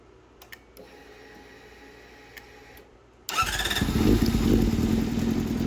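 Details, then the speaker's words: 2007 Honda CBR600RR fuel-injected sport bike, unrun about 5 years, Juice Box tuner still fitted, first start attempt in shop: quiet pause, then catches into lumpy rising revs with a rough edge; it starts and runs. "So, now that I knew that this bike wasn't just a complete junker and actually ran, I wanted to get this juice box tuner off it."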